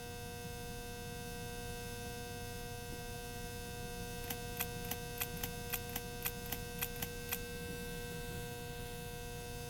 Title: Ceiling Fan loud Noise